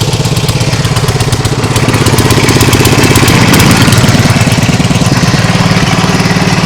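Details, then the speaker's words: Nibbi G619 walk-behind tractor after carburettor work for hunting and a freed-up clutch: the small single runs with a clean, even beat and picks up smoothly on a throttle blip, with no rattles, knocks or new noises; normal running. "I don't hear any sounds that was you hear before"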